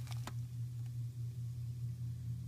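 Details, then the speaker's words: Neighbor's well system with suspected bladder tank or valve fault, pressure tank low and gauge reading zero; low steady hum with faint even pulse and a couple of clicks at start, well pump itself running normally. "I hear the well running so the well pump is"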